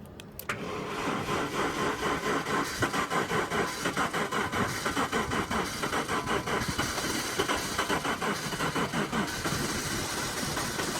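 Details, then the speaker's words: 1997 Jaguar XJ6 X300 3.2 manual that spluttered to a halt while driving: starter cranks steadily for ten seconds and the engine never fires. A faulty crankshaft position sensor is suspected. "there's the Jag looking a bit sorry at the moment so this car at the minute sounds like an absolute bag of spanners as well"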